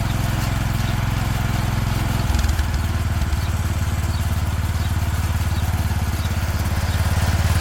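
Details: 36-year-old Toro Wheel Horse 416-8 garden tractor after fixing a leaking fuel line: even, steady low thump about three and a half beats a second, no misses or knocks; sounds pretty good, normal running.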